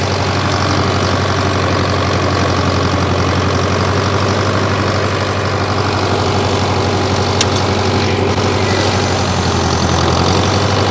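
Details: 1968 John Deere 500A diesel tractor (industrial 3020), revived after 10+ years parked, now put under improvised load: steady, even diesel thrum with a low, firm beat, no knocks or misses. A healthy engine under load.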